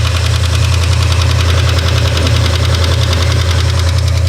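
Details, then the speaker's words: 1972 Ford F100 4x4 with a 390 V8, revived after 15+ years parked: a deep idle rumble with light quick lifter ticking that later cleared by itself while running. "the engine ticking went away. Those lifters cleared themselves up, just like Rick said they would."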